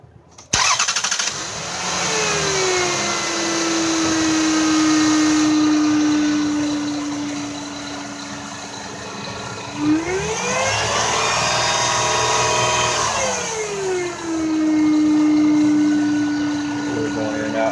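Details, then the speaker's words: 2000 Lexus RX300 at idle after start-up: a loud electrical whine that climbs in pitch with a rev blip, from the alternator with burned, heat-soaked windings; belt removal is suggested to confirm. "I got the 2000 rx 300 back this time just making a strange noise and it's coming from the alternator making like a frequency type noise"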